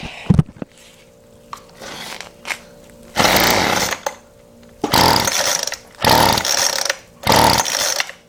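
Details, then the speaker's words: Weedeater Featherlite FL25 two-stroke trimmer engine, half/full choke: pull-start bursts, then short uneven runs that fade after a second each; it won't keep running, and owner suspects fuel isn't getting through despite pumping the primer bulb. "all I'm going to get out of it so obviously fuel is not getting somewhere"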